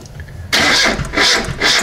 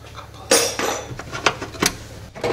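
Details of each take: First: VAZ 2107 carbureted, stalled while driving and wouldn't restart; after revival, starting with ignition timing set too early: harsh cranking, rough surging catches with sharp bursts, then timing retarded. Ignition timing too advanced. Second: VAZ 2107 that stalled while driving and would not restart, after revival and adjustment: a few clunks, then catches and settles into a steady, even idle with no knocks or misses; crankcase check shows little blow-by, healthy engine.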